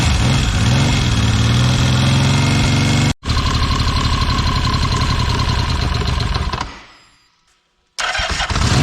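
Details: 1979 Yamaha XS750S rebuilt engine, first run: catches and runs with harsh, uneven beat about four pulses a second, then cuts out; ignition over-advanced because the advance mechanism is seized in a semi-advanced state.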